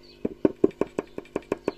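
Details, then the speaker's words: Award-Session Duette solid-state guitar amp from 1987: tapping preamp resistors gives sharp hollow knocks through the speaker, as R24 and another resistor have gone microphonic; cold solder joints are also possible; background hum and hiss. "hear that r24 is clearly microphonic and also these two green resistors are okay I'm not quite sure which which resistor this one is but it's also gone microphonic"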